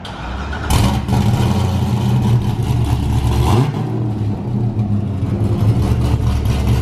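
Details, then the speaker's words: Cammed Corvette started after about five or more days sitting, with the axle-back removed so it runs open on full 3-inch exhaust: it cranks, fires and settles into a loud, deep, lumpy V8 burble, far louder and deeper than the 2-inch setup. Healthy engine. "is so loud. Oh my gosh. That is way louder. Like extremely louder than the 2-inch going all the way back. Oh, and deeper."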